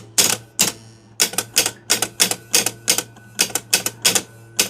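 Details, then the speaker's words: 1973 Gottlieb Kingpin pinball, 10-point score reel stepped by operating the relay manually. Harsh, uneven clacking bursts about three a second. Coil stop in the reel likely indented; possibly a spring that is too heavy. "Right, now that noise is more likely than not the coil stop is indented in that reel. It could be that, or if at some point in time someone's cut the spring may be too heavy, but I put my money on that coil stop."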